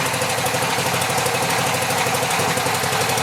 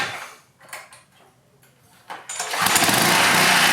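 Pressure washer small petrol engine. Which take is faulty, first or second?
first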